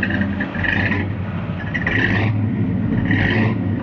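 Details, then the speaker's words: 1972 Ford F100 Explorer short bed V8 with 2-barrel carburetor, fresh oil change and new fuel pump fittings after a leak; camera on a tailgate near the exhaust. A steady V8 rumble with light rev swells settling back evenly, running pretty good. Normal idle. "But yeah, so runs pretty good. It's got a 2-barrel carburetor, which is what it had."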